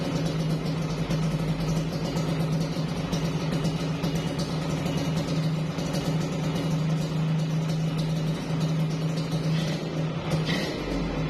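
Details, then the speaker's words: Yamaha RX King two-stroke idling with heavy smoke: a steady, even idle with a smooth low hum and no rattle or knock, the earlier rattle now smooth and standard, with faint music behind it. "jadi itu untuk masalah bunyi itu dia udah agak apa ya bukan udah agak halusnya Emang standar lah gitu ya untuk dari mesin itu udah halus lah gitu ya"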